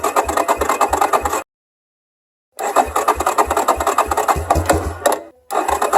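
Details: Yamaha Warrior 350 single-cylinder running after full top end rebuild (new camshaft, rocker arms, bearings, piston, valves, cylinder gaskets); quick uneven thump with mid-clip pause then catching again; running normally.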